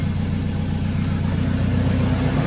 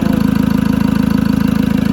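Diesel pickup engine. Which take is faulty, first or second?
first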